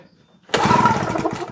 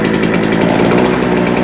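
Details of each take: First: JCB two-stroke generator unused for a couple of years, with the throttle operated by hand: one quick pull-start churn of about a second with no firing or catching; hard-starting and won't fire. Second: JCB two-stroke generator that had not run for a couple of years: a loud, fast, steady buzz at even speed without surging or misfiring, putting out about 200 volts; runs healthily.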